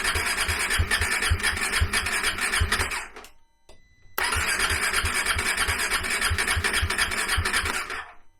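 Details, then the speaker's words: KTM 390 Adventure cold start after the PowerTRONIC ECU was plugged in: the single catches, runs with uneven sputtering beats, cuts out, refires and dies again. Owner suspects air in the fuel system after taking the fuel tank off; it needed wide-open throttle to fire. "I think where it didn't want to start and it shut itself off, I think that's where I took the fuel tank off and there was just air in the fuel system."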